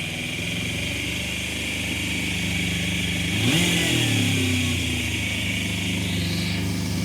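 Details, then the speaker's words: Suzuki motorcycle, free bike first start after refitting airbox seal over carbs: fires straight up to a fast idle of about 3,000 rpm with one blip, too high; idle adjustment then brings revs down. "that's fired straight up, got about 3,000 RPM, which feels a little bit high, sounds a little bit high"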